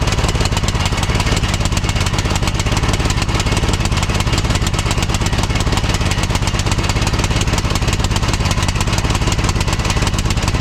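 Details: 2006 Troy-Bilt Pony lawn tractor single-cylinder on a new replacement carburetor (old one flooded), new Hyper BK5ECU plug: chugs unevenly at idle with a wandering beat, running a little rich and rough; the new carburetor proved bad.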